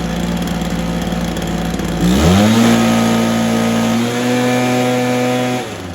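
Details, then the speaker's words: Stihl BR430 after spark plug boot fix, carb tuned and idle raised: settles to a steady idle, revs cleanly and holds an even high note without stumbling; normal running. "hey guys I think we got another one fixed there that's steel b r 430 good to go"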